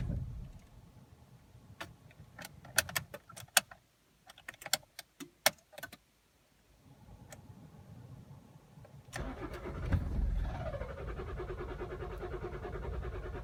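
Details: Toyota Auris 2.0 D4D diesel, cold start with two faulty injectors: long cranking before it catches, then revs surge and hunt unevenly with white smoke.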